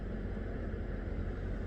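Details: Chrysler Town and Country / Dodge Grand Caravan after replacing a failed blend door actuator, engine running: a steady low engine hum with soft air noise and no clicking or ratcheting from the dash, so the new actuator sounds normal.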